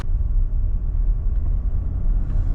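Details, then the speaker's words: Range Rover L405 test drive right after replacing the wheel bearing. Only low, even road rumble, with no hum or growl rising with speed. The old noise is gone, and the car drives straight and doesn't feel lumpy: the new bearing is quiet. "I don't hear the noise so far car's driving all right doesn't feel lumpy or bumpy"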